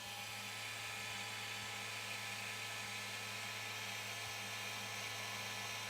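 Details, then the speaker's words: Elegoo Centauri Carbon 3D printer, mic placed close up: loud steady electric buzz with low hum, holding even throughout; normal noise from the printer's vibration calibration run. "Now this part after it calibrate bra it calibrated the uh vibration. So that was the noisy part."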